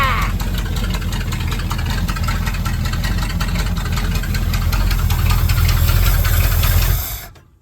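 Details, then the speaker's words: 1977 Dodge custom tow van V8 with new fuel system end to end (tank, lines, filter, pump, new Holley spread-bore carburetor), plugs, wires and ignition module: deep, even burble at steady idle, about four pulses a second, no stumbles or knocks; healthy. "A a new fuel system end to end. New tank, new lines, new filter, new pump, new carburetor."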